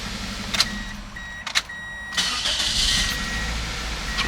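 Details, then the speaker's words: 2003 Toyota Corolla 1.8 towed in for crank/no start: after the insurance company's ALDL plug-in adapter was disconnected, warning chimes, then it cranks and catches cleanly into idle; the adapter was found to cause the no start. "crank it here oh and now it starts huh funny well that's odd"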